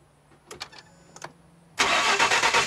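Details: 2011 Ford EcoBoost morning cold start after timing chain replacement and fuel-in-oil TSB: a few clicks, then harsh metallic clatter over the first second of running; rattle persists, cause unconfirmed.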